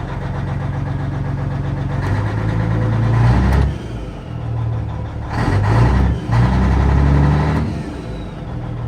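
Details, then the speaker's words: High-mileage Cat 3406 mechanical diesel in an older button-start truck at an auction yard, showing decent oil pressure: an even, low idle clatter with a steady beat and no knocking. It sounds healthy. "3406 mechanical, lots of miles, so it hopefully goes for a cheap price. Decent oil pressure. Oh, it sounds good too."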